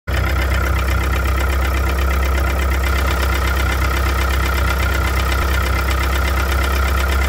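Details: 1998 DSM with 420A engine at steady idle: quick, regular light knock throughout, tied to engine speed. Owner suspects a rod bearing; source unconfirmed.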